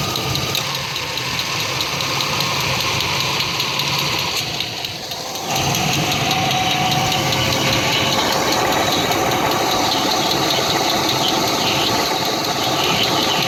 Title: Engine knock